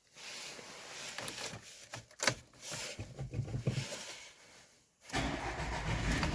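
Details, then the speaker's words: VW Tiguan 1.4 TSI cold start, first minute during catalyst warm-up: engine catches and idles unevenly and shakily, misfires logged in cylinders 1 and 2; normalizes after warm-up, blamed on software catalyst-heating algorithm. "Несправність полягає в наступному. При холодному пуску в момент прогріву каталізатора, це десь перша хвилина роботи, у нас діагностуються пропуски запалювання."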